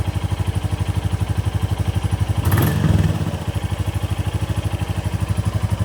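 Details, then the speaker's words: 2024 Royal Enfield Bullet 350 single after valve clearance adjustment (about 0.15–0.20 mm), seat and cover off: steady, even thump about four beats a second with only light tappet clatter; smooth, healthy idle. "That all sounds good. [Music] Oh, sounds good. Sounds really good."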